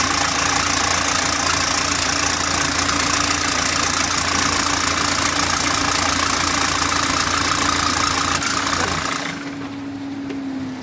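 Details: Engine that ran out of oil from a broken oil pump and was driven until it stopped: hard, even knocking three or four times a second until it dies; oil starvation destroyed the bearings, engine seized.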